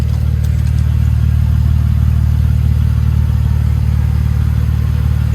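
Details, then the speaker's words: Toyota Tacoma with new home-built custom exhaust (total flow muffler, V-band clamp), recorded from under the truck at idle: low, steady, quiet burble with even pulses, nothing knocking or ticking; quiet as intended, normal. "It's pretty quiet. And that's pretty much what I'm kind of going for."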